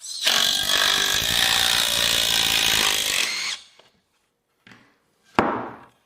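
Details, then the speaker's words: Impact driver sinking a screw into 2x4 lumber: rapid, even rattling blows for about three seconds, the hammer striking the anvil in fast rotation, not stripping the screw; normal impact driver hammering under load. "Pessoas não familiarizadas com um driver de impacto pensarão que estão desgastando o parafuso ao ouvi-lo, mas esse som é o martelo batendo na bigorna em um movimento circular muito rápido, assim como em uma furadeira de impacto."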